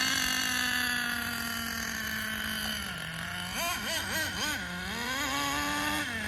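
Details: Schumacher Menace nitro RC car on new tires, last of its nitro. High-pitched buzz sags, then surges and wobbles unevenly on throttle blips, never clearing cleanly; the high end needs tuning, and excess oil in the exhaust was ruled out. Poor running at high revs.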